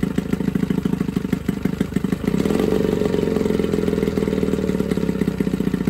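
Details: Johnson 9.9 outboard (kicker motor) after a carb kit rebuild and new plugs gapped to spec: steady, even putter with regular firing pulses that firm up partway through, pretty quiet; clean, smooth normal idle.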